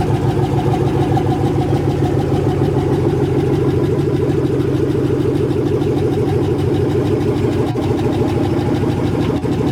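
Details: 1980 Chevy C20 with a swapped 4.8L LS V8, first fire-up after the swap: loud idle with a steady, even pulse. No misses or knocks; the fresh swap runs normally and started as it was supposed to.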